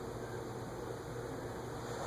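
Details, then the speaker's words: CEC 36-inch industrial ceiling fan on solid-state speed control at low-medium speed, drawing about 0.36 A, bearings still stiff before oiling: soft steady hum with faint bearing whir, no knocks; quiet normal running. "I don't hear anything. I don't hear anything. I really don't hear it. It's like bedroom quiet."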